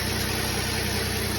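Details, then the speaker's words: GM 3400 engine at first fire-up after cylinder head machining and a valve job, following a blown head gasket: a steady, even, smooth idle with no knocks or misses. The exhaust is a little smoky from residue. "that's all the stuff that was uh in the exhaust from blown head gasket little smoky she sounds good though"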